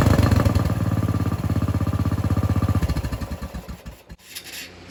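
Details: Riding mower/vehicle LT Johnson with aftermarket carburetor, previously ran only on choke, after new fuel line and fuel filter: catches and runs with a steady four-per-second thump, then settles and fades; clean start, normal running.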